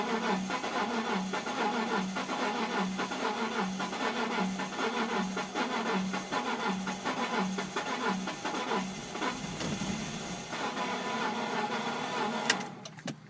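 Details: BMW Z4 after sitting in the cold for three weeks: steady, even cranking for about twelve seconds that never catches or speeds up; engine turns over but won't start.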